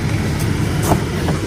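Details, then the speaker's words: Salvage-auction 4x4 with 38,000 miles; starts right up into a steady, even idle with a smooth low rumble and outdoor background, engine sounds good: normal idle. "only if we buy it but a start right up engine sounds good"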